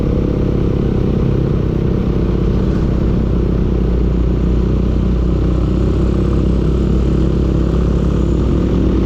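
Steady idle with a dense, rapid clatter riding on a deep low drone; a knocking engine, cause not clear from the sound.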